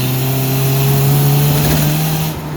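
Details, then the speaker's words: 1990 Mazda Miata 1.6 with Jackson Racing M45 supercharger, about 5-6 psi boost, full-throttle pull through first gear: strong steady whine climbing with revs over engine pull, dropping at the shift; normal blower whine under boost. "So just a little bit of whine, like I said, just get through one gear real quick and sounds good."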